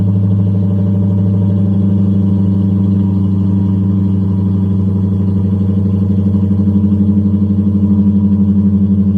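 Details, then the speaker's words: 1994 Lexus LS400, 1UZ-FE V8, 172,000 miles, after exhaust leak repair: two of four mufflers deleted, remaining two replaced with Flowmaster Super 10s, tips extended; deep even V8 burble, revved loud, no leak puffing; normal exhaust note. "when i want that sucker to be loud i rev on it and it's there and it sounds good and i actually get quite a bit of compliments on it"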